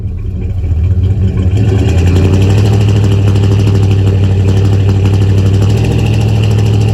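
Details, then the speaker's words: 1977 Chevy C20 V8 truck idling in gear after advancing ignition timing by turning the distributor by ear: deep steady rumble, idle raised, previous sputter and miss largely gone. "so now i'm gonna put in gear and you'll hear that sputters has pretty much gone away"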